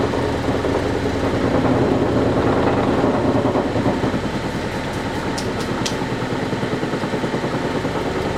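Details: Vintage Lortone NS/8 8-inch lapidary arbor, first power-up: motor hum with steady knocking rattle, about three beats a second, as particle-board base bangs on an unlevel tabletop; cardboard shims planned as fix.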